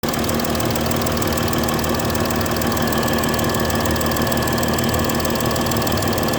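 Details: Mercedes S-Class 320 at idle: sharp, rapid ticking, rough and uneven over the engine note. A bad injector nozzle gasket leaking combustion gas.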